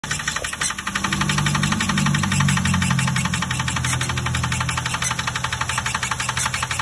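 Steady running engine with a regular knock, roughly three per second, riding over the idle throughout; source of the knock unclear.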